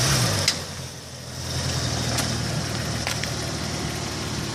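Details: 2004 VW Passat giving a few sharp, irregular clicks from the left front wheel area over a low idle when stopping abruptly or slowly.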